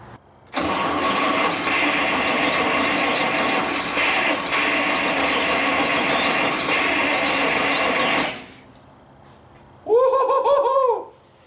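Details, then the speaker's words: 1937 Buick limousine, stored since 1980s restoration, 6-volt battery, in neutral; starter turns engine over steadily about eight seconds, never catches, though it seemed to want to go; they plan to check spark. Cranks but no start, cause unconfirmed. "did you hear that thing it wanted to go right there"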